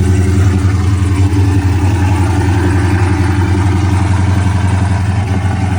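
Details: Dodge Charger SRT V8: loud idle with choppy, stumbling exhaust pulse and irregular dips instead of an even burble; heavy misfire.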